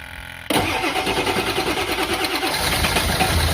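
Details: 7.3 diesel: starter churns at about three strokes a second for two seconds before the engine catches and runs roughly; hard start with long cranking.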